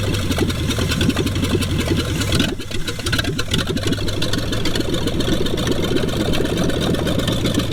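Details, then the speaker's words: 1966 Ford Mustang 289 V8, three-speed, abandoned over 20 years, first start after revival with no gauges hooked up: rough uneven idle with busy ticking and rattling; unidentified noise, oil pressure only assumed. "she's alive [Music] and what's that sound i have no gauges hooked up i'm assuming she got pressure"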